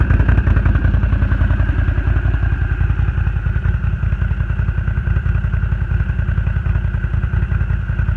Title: Misfire renegade 1000